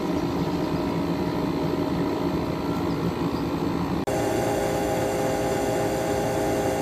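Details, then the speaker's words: 12,000 BTU Frigidaire window air conditioner, just repaired, running outdoors in hot humid weather with condensate forming: steady even compressor hum with constant tone and no knocking or rattling; normal running. "i'm not sure if it's just me but this compressor kind of sounds like a reciprocating compressor i'm genuinely being serious about that"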